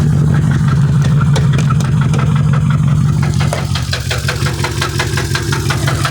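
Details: Mercedes-Benz S550 W221 4Matic at idle: heavy steady idle with a low hum and a run of irregular light ticks that grows toward the end; unusual noise, source unknown.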